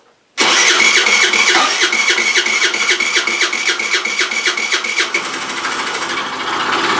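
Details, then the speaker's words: Rex RS500 Speed scooter just after carburettor refitted and fresh fuel added: sharp metallic clatter about four times a second over idle right after starting; internal mechanical fault suspected, cause unconfirmed. "okay das hört sich nicht gerade gut an lasst uns mal nachgucken"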